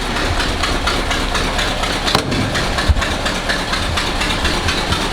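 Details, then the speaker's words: 1963 Ford F100 4x4 V8 bought with a suspected bad motor, idling on a little choke: rough idle with sharp, irregular pops and puffs; the exhaust leak is traced to the exhaust manifold gasket. "So as you guys hear, it's got an exhaust leak. Getting a pretty big pop. Kind of trying to figure out where that's coming from."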